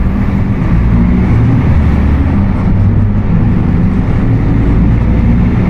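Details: Apache Vip IV bus on Mercedes-Benz OF 1721 BlueTec 5 chassis, under way: deep droning growl with a steady low tone over road and engine rumble; worn rear axle differential.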